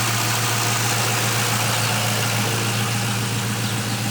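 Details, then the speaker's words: 2005 Ford Mustang GT after replacing the alternator, serpentine belt and tensioner (done while chasing a P0340 camshaft position sensor code): steady, even idle with a smooth low rumble, no knocks, ticks or belt squeal; normal idle after repair. "The new alternator's installed, the serpentine belt and the tensioner, and as you can hear, everything's running good now. Have no issues. Put everything back together. Car's running fine. This is how it's sounding."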